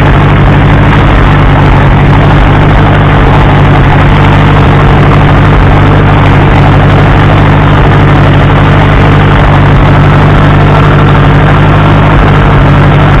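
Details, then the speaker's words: Case 300 tractor bought at salvage auction, unknown history, first start: steady low chug at even idle, no knocks or rattles; running fine. "Yeah, it still runs."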